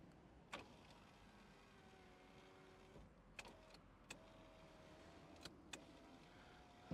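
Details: Mazda MX5 NC (Copart car), ignition on before start: steady electric window motor whir for a few seconds with a soft clunk at each end stop; window works normally.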